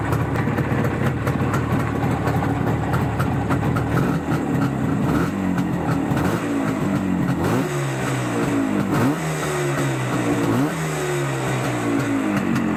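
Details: Izh Jupiter 5 two-stroke with balanced engine, now fitted with two 12-volt ignition coils replacing a faulty 6-volt coil; crisp note rising and falling cleanly through repeated blips, no knocking or tapping, engine running normally.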